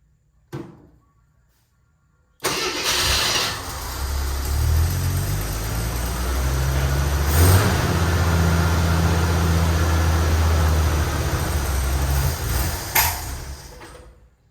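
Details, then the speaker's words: AMC Eagle with new starter: starter grinds briefly, engine catches and idles roughly about ten seconds, then sags and dies; fuel pump confirmed pumping, water leaking underneath; won't stay running at idle, cause unconfirmed. "Oh, it doesn't want to stay running. This is, the fuel pump is working. I can feel it."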